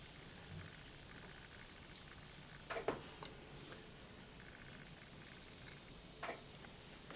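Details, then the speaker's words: Whirlpool Duet front-load washer showing F-dl error, customer says door won't lock so wash won't start: faint sharp relay clicks after pressing start as door lock tries but fails to engage. Cause suspected, not confirmed. "there's a relay that's clicking it sounds like the door lock is trying to engage but it's not happening"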